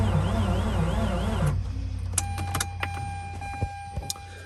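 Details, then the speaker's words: Mazda RX8 rotary with a stuck alternator pulley, after repeated deflood attempts, clutch and gas pedal down: starter drags the engine round sluggishly for about 1.5 s, then stops with clicks and chimes. Weak, not fully charged battery. "all right guys as you could see the the starting is not very lively um and uh that is because this battery is not fully charged"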